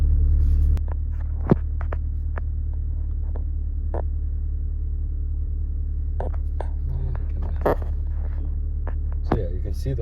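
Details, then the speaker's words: 2020 Mini Cooper S F60, B46 turbo engine, after an oil change, during the infotainment engine oil level measurement that raises the idle: smooth, steady low hum at a slightly raised, even idle, no stumbles; oil within spec, normal. "measure oil level and start measurement do thing it'll raise the idle while it"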